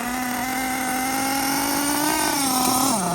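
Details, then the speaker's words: Losi LST with Dynamite Big Red nitro engine, warmed up on a 98°F day, tuned rich, flywheel previously part of the problem: steady high-pitched buzz, then revs sag suddenly; drive lunges intermittently, suspected transmission issue, not confirmed. "It's weird though. It's intermittent. There you go. You can see see it lunging right there better."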